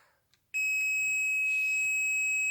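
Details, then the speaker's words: Industrial welding turntable, continuity test with motor connected: steady high-pitched meter beep without a break when probing neutral and live to the frame, confirming a dead short to earth; earth conductor showed heat damage. "so that's a neutral conductor and that's showing me dead short to earth"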